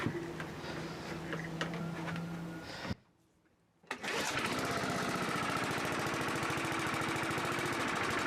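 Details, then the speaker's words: 1982 John Deere Model 21 SP walk-behind mower after new points and condenser gapped to .020; brief pause, fires and settles into steady even run, about four beats a second, no misses. "sounds like it started up pretty well I think this project is finally wrapped up the mowers looking pretty good and running pretty good"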